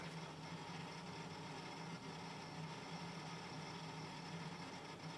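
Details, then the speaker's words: Lenovo ThinkCentre booting slowly from an old 80 GB SATA hard drive, still not booted after a minute, before an SSD upgrade: a steady whir with an uneven, fluttering buzz as the drive seeks. "As you can hear by the way it's running, it is quite an old hard drive that I put in it."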